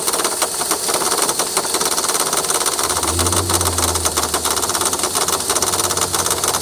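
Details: 2003 VW Jetta 1.8T: rapid, uneven light ticking, about three per second, over a steady idle from the front accessory area. The noise persists after replacing the tensioner pulley; the owner suspects the water pump or power steering pump. Cause unconfirmed.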